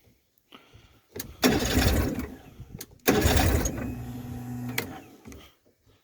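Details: Mercury 40hp two-stroke outboard after an impeller replacement, cranked with throttle and choke; two bursts of cranking where it catches and sputters briefly but never settles into a steady run. Cranks but fails to start.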